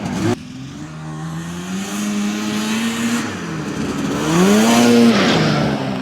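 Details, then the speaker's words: 1981 Ski-Doo Blizzard 5500 two-stroke snowmobile, coil replaced and plugged in, airbox off: winds up cleanly, pitch climbing and falling smoothly through revs, no stumbling or bogging; healthy full-throttle run. "well that is 100% fixed folks but we got to get Greg on the drag strip here"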